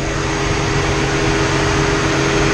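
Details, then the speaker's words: Ford Transit 3500 van after cooling fan assembly replacement; before, high fan ran like low speed and low fan never came on: strong even rushing roar with steady hum, no rattle; both fans running full blast normally. "you can hear those fans powered up now"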